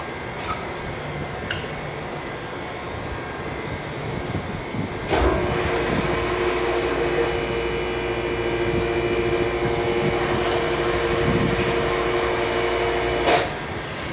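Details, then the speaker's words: Original 1969 General hydraulic elevator with submersible pump and relay controller, Sirata Beach Resort: relay clicks and a clunk at start, steady pump hum with two even tones, smooth run, thump at stop; healthy normal operation. "As you can tell, it is relay controlled. Yeah. Alright, well, anyways, there it goes. You can hear them click."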